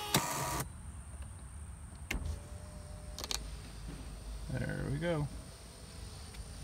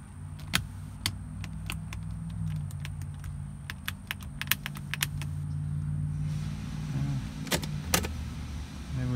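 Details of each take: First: Mercedes 300D parts car after the battery connections were reworked: a short, even power window motor whir rising as the glass rolls up and stopping cleanly, with no grinding or binding. The window works normally. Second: Mercedes 300D parts car with its battery just hooked up over a poor connection: a low steady motor drone with scattered sharp clicks and no clear travel as the power window motor strains and barely moves. Cause suspected, not confirmed.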